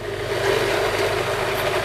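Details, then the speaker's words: Modified Chinese bench drill press with quiet spindle bearings, running at constant speed: steady motor hum with a fast buzzing rattle; owner suspects the belt running over the plastic spindle pulley, and possibly the sheet-metal guard. "I think it's the belt coming over this plastic pulley that's making that"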